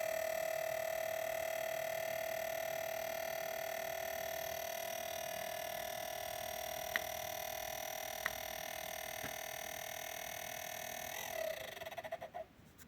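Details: New Wanbo T2 Max projector, just delivered: steady loud whine with strong mid-high tone and hiss holding even, then cutting off near end; abnormally loud operating noise, cause unknown.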